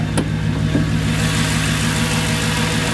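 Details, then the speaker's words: Mercedes C55 AMG V8 after a manual gearbox swap, exhaust cut before the diff, no secondaries, resonator kept, stock primaries, first start after sitting long: deep steady burble with an even low beat and a brief rev blip; healthy idle. "yeah it sounds really good it hasn't been started up in like too long"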